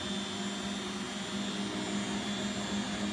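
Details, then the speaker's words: Beko WX842430W washing machine, spin/drain cycle at 1400 rpm: quiet steady mid-pitched hum with soft even pulsing, no knocking or grinding; normal high-speed spin. "like it's going even faster now 1400 spin is quite fast"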